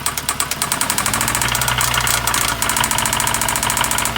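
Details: 2009 Hyundai Sonata 2.4L at idle: a loud, quick metallic hammering keeps time with the engine. Play was found in cylinder 3 on the down stroke; suspected rod knock.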